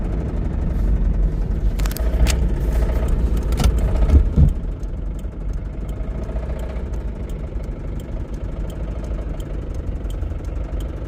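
After a rough start, the idle settles with a dull, steady knock deep in the block, typical of a worn rod bearing.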